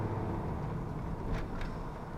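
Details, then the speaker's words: 1994 Dodge Dakota 5.2 V8 after fuel injector replacement, slightly warm, driving on road under load: deep steady rumble with road noise, accelerates nicely, no misses or knocks; normal acceleration. "Now let's take her up the road, see how she feels. Feels just fine. Accelerates nicely. Sounds good."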